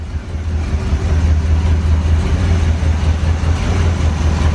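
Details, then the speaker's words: Barn-find 1970 Corvette V8 first fired from a gas can: lumpy, uneven idle with a stumble two or three times a second; misfire at idle, owner suspects a fouled plug or bad wire, not confirmed. "okay I'm going to turn it off oh yeah you can hear that cylinder it's wanting a fire probably a foul plug"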